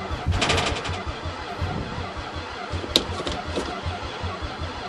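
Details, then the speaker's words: Chrysler van unstarted since 2006, battery from a Toyota, ether in intake: cranking with a few ragged pops and brief stumbling catch never settling to idle; barely firing on starting fluid; owner questions injectors and battery. "what the hell I got something I want more aren't the fuel injectors firing uh-oh why isn't that battery working very well"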